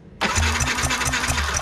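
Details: Yamaha NMAX scooter suddenly won't start: starter spins the engine in a short, rhythmic churn but it never catches; spark present, owner suspects spark plug gap too close; crank, no start.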